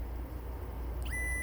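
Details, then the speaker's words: Stepper motor on a CNC machine with MKS Gen L 1.0 board, y-axis homing via OctoPrint: over a low hum a tone sweeps up into a steady high buzz as it strains without moving; stops when the end stop is hit. "So in a second you'll hear the stepper motor trying to run, but it probably won't really do anything."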